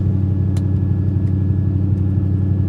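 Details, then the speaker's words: 1995 Ford F-150 after a drive, with an intermittent check engine light: a steady, even hum with no dip or hunting. The engine holds an abnormally high idle speed. "There's got to be yeah, that is idled awful high."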